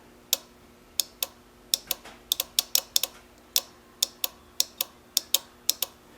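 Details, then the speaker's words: Riding mower no-start, new ignition switch, fuses and safety switches fine, testing the starter relay: sharp clean clicks about three per second with quiet hum; relay switching normally, fault lies elsewhere. "all right nothing wrong with the relay back to the drawing board"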